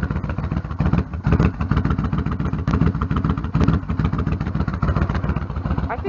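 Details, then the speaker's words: Yamaha Stryker motorcycle after new header gaskets fixed leaking, loose header bolts that had been ridden about 11,000 miles. Deep, lumpy twin idle with steady pulses and no popping or ticking; the exhaust is sealed and a bit quieter. "sort of sounds a little different it even sounds like the engines a little bit quieter"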